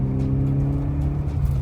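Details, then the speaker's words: 1986 Mercedes 190E 2.3-16v Cosworth barn find, revived after 15 years with new injectors and a restored fuel distributor, under throttle through the gears: a strong, smooth, even pull with good torque and no misses or rattles; normal acceleration. "It's got good torque. It's pretty good."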